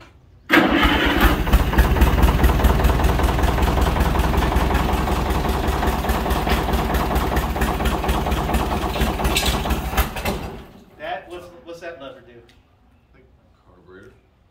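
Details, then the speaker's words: Allis-Chalmers WD45 tractor, long stored, after unsticking the engine and changing the coil: cranking chatter, then it unexpectedly fires and runs with a low, steady thump for about ten seconds before shutdown. "so it fired we accidentally we accidentally fired it we were just cranking it and it fired right up so i can't believe it"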